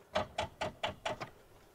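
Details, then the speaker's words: Rover 800, turbo, abandoned 15 years, with no dash lights: a short run of dry starter clicks with no cranking; it sounds locked up, and the owner suspects a dodgy connection, bad earth or bad live feed. "When I flick a key, she sounds like she's locked up. Oh no. So it doesn't look like it's going to turn over, but that could be a dodgy connection, could be a bad earth, could be a bad live, you know."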